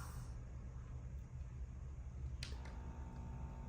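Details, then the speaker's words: Heathkit 1144 power supply, repaired with new 3055A transistors, powering a Ten-Tec Omni 6 transmitting at full power: faint low, steady transformer hum under load in a quiet room; supply working normally. "So finally, here's how this thing sounds when it grunts, when it works. Here you go. Little hum going on, right?"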